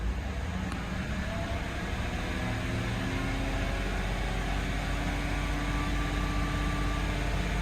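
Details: Yukon after fuel feed line repair and fuel tank reinstalled: steady, even idle with a smooth low rumble, no misses, knocks or ticks, and no leak. The engine sounds healthy.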